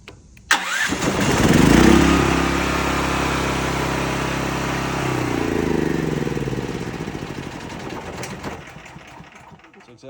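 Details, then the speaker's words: Cat RP8000E generator, about 5 years old, fresh non-ethanol gas, CO sensor bypass switch set on (circuit completed); engine catches, runs slightly uneven about seven seconds, then winds down and dies from the CO sensor cutoff. "So it will cut on. It will turn on and then it will cut off."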